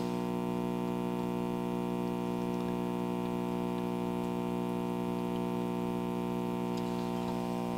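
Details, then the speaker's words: GE model 875 vacuum tube radio (about 1956–57) powered up at 117 V drawing 19 W: loud, steady low buzz with no station or voice; mains hum means the audio circuit works, reception fault not yet found, resistor drift suspected. "okay so i'm not getting anything except i am getting hum so we know the audio circuit seems to be working"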